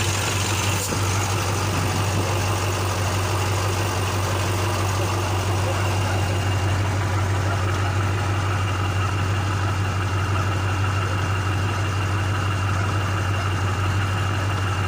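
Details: KAMAZ truck diesel with turbocharger idling after repair: deep, steady drone with faint turbo whistle, no knocks or misses; normal idle.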